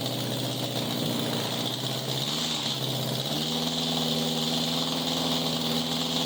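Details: 1987 Honda Gold Wing GL1200 with electrical issues: intermittent cranking, exhaust backfire at key-off. Loud open-pipe idle with an uneven, loping beat and a stumble midway, hunting rather than settling; rough running, cause unconfirmed.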